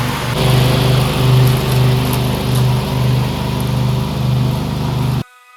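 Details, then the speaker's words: Briggs V-twin on a DLT 2000 after replacing bent pushrods, both head gaskets, one cylinder head and the carburetor: a strong, even drone holds steady as the 48-inch mower deck takes load, with no misses or knocks. Running healthy. "Engine's running fabulous. I'm so stoked. I didn't think this engine would run."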